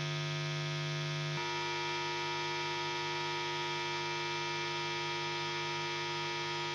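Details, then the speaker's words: Two other guitar amplifiers connected through the guitar rig, hum appearing when the guitar is switched on, already partly muted: loud steady hum with stacked buzzy tones, shifting once then holding; ground loop between connected amps. "There's a lot of this noise here. It's already muted a lot. It appears on its own when I turn on the guitar."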